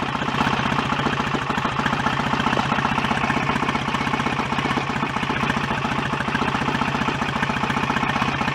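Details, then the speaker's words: BSA A65 twin after rebuild, ignition advanced roughly 5–10 degrees but still too retarded to strobe; loose, uneven idle with soft, lazy exhaust beat, oil returning. Retarded ignition timing. "all right still very there so I'm gonna have to advance it up some before I even get into the Zone where it's worth trying to strobe it"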